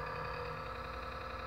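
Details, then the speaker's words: Xbox One console with a steady, unchanging hum and faint tonal whine from low in the unit near the power supply, ongoing for some time; abnormal noise, cause unknown. "Tá aí, pessoal, meu Xbox One. Já tem um tempo que tá fazendo esse barulho."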